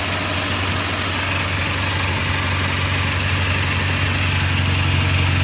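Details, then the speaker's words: Acura TSX with a custom exhaust using stock mufflers, warming up: a loud, deep, even idle with no misses or knocks. Engine sounds healthy; owner suspects a leaking VTEC solenoid gasket. Normal idle. "Motor sounds healthy-ish. And I'm leaking from the VTEC solenoid gasket, I think. But no leaks."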